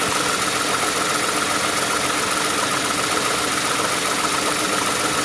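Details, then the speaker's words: Light rapid clacking over a steady idle hum from worn idler/tensioner pulley bearings on the accessory belt drive of a 2008 Toyota Sienna minivan camper; noise is noted on first start in the morning. "If you listen carefully, you can hear that clacking noise."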